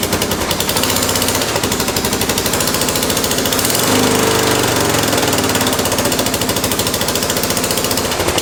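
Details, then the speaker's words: 1988 Honda 4x4 ATV started: rapid sharp popping chatter about three or four pulses a second over the single-cylinder idle; exhaust leak, but it starts right up and runs. "it's got exhaust leak but it does start and run take it yeah starts right up which is a Honda"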